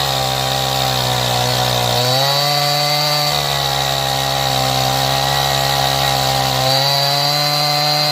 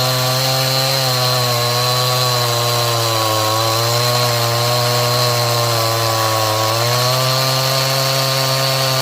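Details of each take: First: Stihl MS180 32cc two-stroke chainsaw, warmed up, after opening the low-speed screw about 1/8 turn to cure cold bogging: high steady scream sags briefly under bar pressure and recovers, cutting cleanly. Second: Stihl MS180C 32cc chainsaw, cold: steady scream whose pitch sags twice under cutting pressure, improved when warm and fixed by carb tuning; bogging under load.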